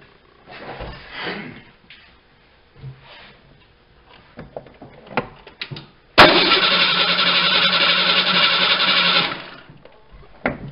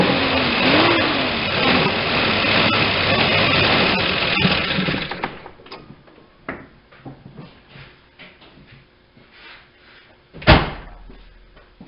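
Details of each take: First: Fuel-injected vehicle that sat for an extended period, spark confirmed: starter cranks steadily about three seconds at even rhythm but never fires. Crank no start; bad fuel pump suspected. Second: 1989 Ford Ranger 2.9L, sat 8–9 years, first run after revival prep: runs steady about five seconds with even beat, no knock or rattle, then shuts off; builds oil pressure, sounds decent for a clattery 2.9.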